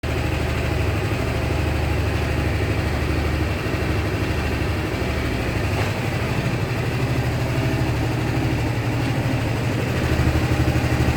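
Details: Honda SH 300i scooter at idle: light, loosely regular tick about three per second over the low thrum; mechanics say it's nothing, owner believes something is wrong; cause unknown.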